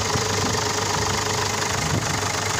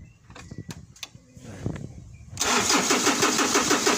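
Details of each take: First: Ford Ranger/Mazda BT50 WE diesel, crank-no-start, started on a jump pack after new glow plugs. Steady idle with even clatter and no misses, excess fuel running out; the engine is normal and the weak battery is suspected as the cause. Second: Ford Ranger/Mazda BT50 diesel, WE engine, hard start after dealer-insisted glow plug replacement, battery 12.11–12 volts: steady even cranking about three turns a second for six seconds, never fires; crank no start, cause unconfirmed, battery replacement recommended.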